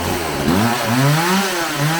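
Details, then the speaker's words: Homelite 4620c two-stroke chainsaw after recoil starter fix, carburetor cleaning, new fuel lines and carb adjustment: snaps cleanly up through its revs and drops back without bogging or sputtering; running properly. "all right i messed around this thing for a little bit seems to be running a little better it's definitely not a steel but i think it'll cut some wood"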